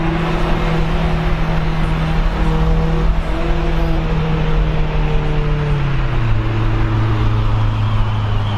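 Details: Honda CRX, Spec-D catback with added Vibrant 2.25in muffler and bottleneck resonator before the axle-back, while driving: deep steady exhaust drone rising and falling with road speed, smooth with no rattles or blowing; healthy exhaust.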